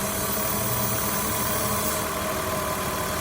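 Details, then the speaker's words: 2002 Ford Escape rough, low, erratic idle with lean condition and check engine light; steady airy hiss and faint whistle from a vacuum leak at a collapsed, possibly misinstalled hose; pinching it brings idle back to normal. "this is where I hear that vacuum leak coming from and it's actually this hose has collapsed"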